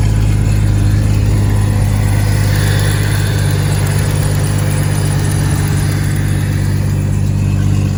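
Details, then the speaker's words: Jeep 4.0L six with extensive coolant leak, coolant sealer added: deep, smooth, steady hum with no knocks, ticks or hunting; engine runs like a top, normal idle. "Like I said, it runs like a top, but it's just leaking coolant everywhere, so we'll see if it starts working its magic."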